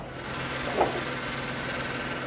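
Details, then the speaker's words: Auction car inline-six, engine bay viewed with bonnet open; smooth steady idle, even tone, no knocking or misfire, sounds fine; coolant looks clean. "wow there is so much room for a turbo right i mean there sounds fine"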